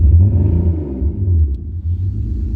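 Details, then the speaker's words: BMW E46 drift build started right after a detail wash, left idling to dry everything: low idle with an uneven, stumbling beat and dips, like a cylinder dropping out, sounding like a possible misfire at idle. "I don't know if you can hear that but it kind of already sounds like it's having a bit of a misfire it's fighting"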